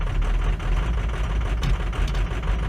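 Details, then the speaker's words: Ford F350 6.0 Powerstroke diesel, cold, before injector replacement, pedal held down or it dies: deep, uneven lumpy chugging, barely holding idle after a hard start. Runs rough cold, fine warm; failing injectors causing rough cold idle. "you can hear it already. It's running rough. Once it warms up, it runs good though."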